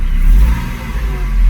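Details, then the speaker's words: 2001 Mercedes-Benz SLK 170 petrol engine starting normally and revving cleanly after a replacement used ECU, DAS module and ignition lock fixed P202C-8 start error and no-crank; no start error message now, smooth rise and fall, no knocks. "let's start the Kara game so they go normal start error message anymore starts for up sounds good as well"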